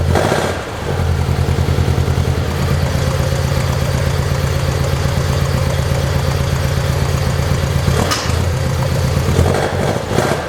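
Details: 1972 Saab Sonett in a garage, engine reportedly overhauled by previous owner, unstarted for a couple of months and boost-started: once it catches, settles into an even, steady idle pulse with no knocks or misses; sounds healthy.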